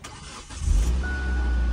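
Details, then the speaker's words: Copart auction car, started after readjusting loose cables: short crank, fires at once and settles into a steady, even idle; healthy start. TPMS and airbag warning lights are on afterwards. "yeah started right up"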